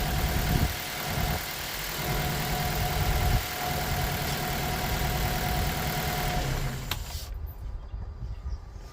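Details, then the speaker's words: 2009 Mitsubishi Colt 1.3 L petrol idling rough and lumpy, running on three cylinders from a faulty cylinder four ignition coil; with coil connectors being unplugged and replugged during testing, a misfire remains before coil replacement. "Let me plug now the cylinder number one and you're going to see now the engine is running a little bit better but not as it should. Still running on three cylinders."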